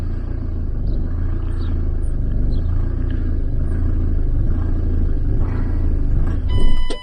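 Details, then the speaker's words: Van engine with a StopMyEngine Bluetooth immobiliser fitted: the engine rumbles unevenly, surges briefly, then dies as the horn alarm sounds repeatedly once Bluetooth is turned off; the immobiliser is cutting the engine. "That hunting was the fact that it does it. It shuts down intermittently."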